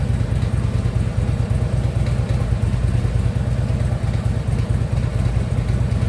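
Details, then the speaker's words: Harley Ultra Limited V-twin at idle after new compensator fitted (compensator now quiet): deep loose thump and rattle about three per second under the exhaust beat, checked with stethoscope; knock from the lower end, cause unknown. "Something knocking a little bit, but it's not on this side. Let's see if I can't figure it out. Yeah, I can even hear it from here."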